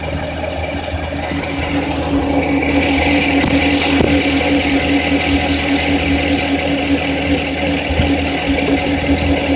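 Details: Corvette petrol engine idling steadily with a light, regular ticking riding on top, about two or three a second; engine ticking at idle.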